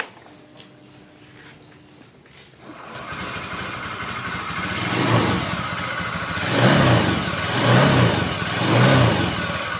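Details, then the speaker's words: Honda Vario 110 LED scooter engine blipped repeatedly, with a smooth droning hum, not harsh, swelling with revs. Worn crankshaft or gandul bearings, checked by removing the CVT so only the engine turns. "Ini tuh kendalanya dari bearing gandul atau bearing kruk asnya."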